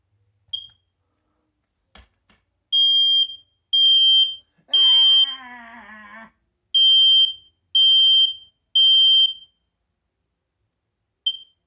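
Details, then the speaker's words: Smoke alarm in the parents' bedroom, test button pressed: loud high-pitched beeps about once a second with one longer warbling burst; owner wonders if it sounded slightly weaker, though tone seems strong; possible weak sounder, unconfirmed. "Is it just me, or did that one sound like it died a little bit? Oh well, it's probably just me."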